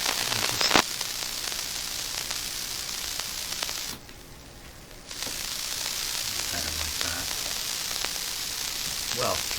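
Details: TACT TPR-61 Japanese mini record player, radio mode with volume turned up: loud, even static hiss with a brief drop to near quiet mid-clip; radio is noisy and its volume control works poorly.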